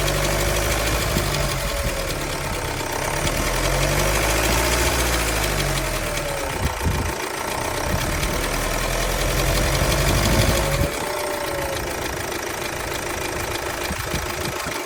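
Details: 2016 Vauxhall Insignia B20DTH diesel idling: fast, fairly regular light rattle and wavering whine over the engine note; suspected timing chain noise, not confirmed.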